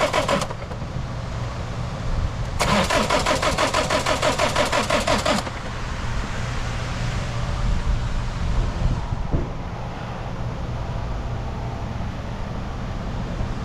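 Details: 2016 Ford Mondeo, 124,895 km: starter cranks in two bursts, the second about three seconds with an even churning beat, but engine never fires; crank, no start.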